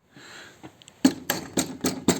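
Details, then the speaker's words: Fiamma F45s awning on a van with owner's roof rack and brackets, after adding closed-cell foam where the wound-in legs rest; five light sharp clicks, a small remaining rattle owner presumes comes from the feet touching the casing, far better than before. "There is, as you can hear, the little rattle. That is, I presume, off the feet."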